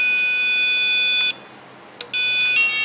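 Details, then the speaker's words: 1999 Chevrolet Tahoe with inoperative rear power door locks. A power probe on the door contact pad gives a steady shrill tone that cuts out as its breaker trips, so the contact pad carries current. "Yep, I can blow the breaker. Listen to that noisy thing for a minute. So that means our contact pad is good and can carry current, because I think this has a 15 amp breaker or something on it."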